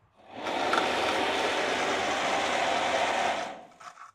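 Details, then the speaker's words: Motorcycle radiator cooling fan, which had been seizing from grit, bench-run on a 12 V supply after cleaning with brake cleaner and lubing with WD: a steady, even electric whir spins up, holds about three seconds and winds down, turning freely without sticking. Not new, but no longer seizing. "I mean, it's not brand spanking new, but it's not seizing anymore. It's not getting stuck."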